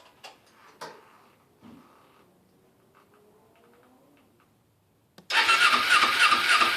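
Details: Kawasaki Ninja 250R dual-carb motorcycle after carburetor cleaning, battery charged and fresh fuel: quiet clicks, then the engine catches at about five seconds and settles into a steady, busy idle that holds; normal start and idle.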